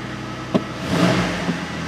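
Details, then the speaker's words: 2009 Jeep Wrangler 3.8 L V6 with an injector circuit code and a history of misfires: quick throttle blips and power braking in drive, revs climb and fall cleanly with no dropouts, so it is not misfiring right now. "hear that it sounds smooth when we rub it no dropouts or glitches there pop her in the drive so power breaking it still nice and smooth"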